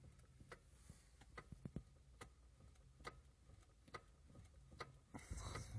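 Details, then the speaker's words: Lada Granta, mileage 6,339, electric power steering: sharp uneven metal-on-metal knocks about a second apart, then engine starts; crunching heard periodically, cause suspected, not confirmed; metallic knocking from steering. "Лада Гранта пробег 6 339 шум электроусилителя руля наверняка бьёт металл как металл"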